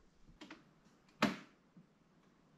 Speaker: every time I put that compressor to the max it feels like this entire Workshop is just going to collapse all that cracking sound but it's the airline it's it's moving or shrinking or doing something I don't know